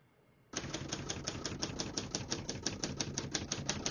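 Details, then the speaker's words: Serviced 1970 Hermes 3000 portable typewriter: crisp, even keystrokes at about five per second, each striking cleanly with no skips, double hits or sticking. The typing action is normal. "As you can see, all the keys type nice and none of them skip or stick."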